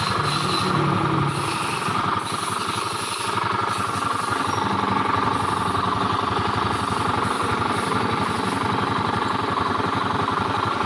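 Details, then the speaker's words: Honda Beat scooter with a rough clattering knock, about four a second, deep inside the engine rather than the CVT belt drive or fan; worn crankshaft bearing. "baru fix mesin Tengah trouble suara dari dalam sini bermasalah Ini masalahnya di lahar setang trouble ada suaranya kayak gitu sebagian orang mengira ini CVT ya"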